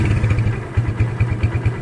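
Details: Kawasaki Barako 175 revved from a normal idle: low, uneven thumping that stumbles and bunches up irregularly instead of pulling cleanly; bogs and sputters on throttle, cause not yet known.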